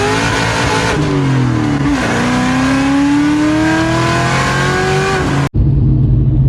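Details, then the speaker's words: Cammed SVT Cobra Terminator with Lightning Force pulleys, pulling hard with rising pitch, abruptly cuts out near 5.5 s as the accessory belt tensioner breaks off, ruining the new pulleys and hitting the crank pulley. "oh god something just fell off so yeah the cobras broke again the tensioner broke off and then it ruined all of my new lightning force pulleys"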